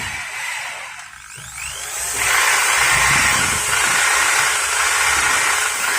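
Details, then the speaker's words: Maktec MT60 drill after service; it was previously stuck and only buzzing. Now a steady high motor whir spins up and holds even speed, with no stalling or buzz. "okay, guys, now it's normal, it's not stuck"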